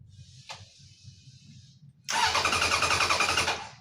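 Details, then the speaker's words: Engine cranks steadily at about three and a half turns a second in neutral but never catches or fires; the fuel was left off, so no fuel reaches it. "Oh, I think you should turn the fuel on."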